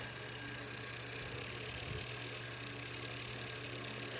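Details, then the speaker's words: Sanyo desk fan motor running without its blade: a quiet, steady hum with a faint dry rub from an oversized homemade spacer that needs trimming. "That is a weird noise. You should not touch these while they're spinning. Now this one. Oh, I know what that noise is. It's my homemade custom high quality spacer. I have to trim it because it is a weird shape and it is way too big."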